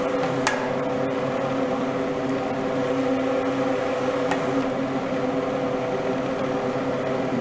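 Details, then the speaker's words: Air rushing and rustling through a test vent duct plus slight hum of an inexpensive fan motor; adding the ceiling vent grille adds no whistle or buzz and slightly muffles the motor; normal fan operation. "Шум ветра, воздух бежит по каналу, шелестит, скажем так, завихряется, шумит. И плюс звук от работы мотора вентилятора. Вентилятор недорогой взял, поэтому он слегка гудит, и его немножко слышно."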